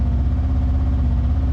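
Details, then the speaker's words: Kawasaki KRX high idle around 1,800–1,900 rpm instead of about 1,200, idling even higher in gear with big lurch and refusing to upshift; steady low drone; high idle from misadjusted throttle position sensor. "So, you can hear it right now. And it's idling right about 1,800 RPMs, 1900 RPMs, just below 2,000 RPMs. And that is a real issue because it's supposed to be about 1200 RPMs when you have um it idling."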